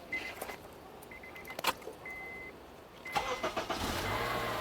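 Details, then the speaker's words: 2005 Honda Accord 4-cylinder after starter replacement: two door-chime beeps, a short crank and the engine catches at once, settling into a smooth, even idle; starts right up, though a maintenance light is on. "right up sounds good to me as soon as she looks back on the dashboard to got a maintenance light on"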